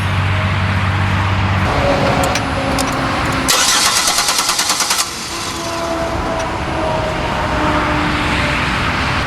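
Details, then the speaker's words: 2008 Buick Lucerne, GM 3.8 V6, crank-no-start, still no spark while PCM suspected: starter whirs steadily several seconds, never fires; no spark. "we still do not have spark so let's run our diagnostic through harness and verify whether or not we have a bad PCM"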